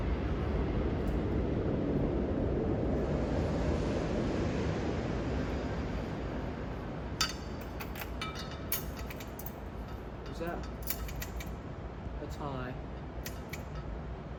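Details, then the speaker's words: Restored Casablanca Victorian ceiling fan on high: steady low whoosh moving lots of air with faint ticking and clinks from the light's fob banging the center shade; runs smooth and even. "Blows an amazing amount of air. Wondering what that noise is, it's the fob from the light banging against the center shade."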